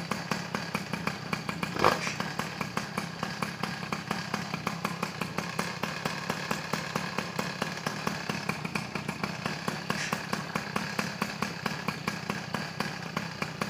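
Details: Peugeot 103 SP moped, first start after wiring a DD engine: crisp, fast two-stroke buzz with a quick, even pulse and no misfires, left to warm up. It starts well and runs normally.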